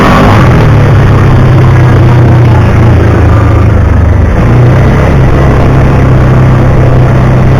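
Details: 2009 Kawasaki Teryx 750 fuel-injected, after the fix (nail inserted in center section) for backfiring and power loss when warm: steady, even low drone holding speed with no backfire, popping or surging; runs perfect.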